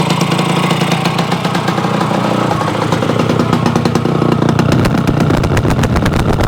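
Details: Yamaha AT-1 converted to CT-1 two-stroke, first start after rebuild with wiring done, oil pump primed, carburetor problems fixed, choke on, pre-mix plus oil pump: crisp buzz rising and falling with throttle, no misses or knocks; normal running and revving.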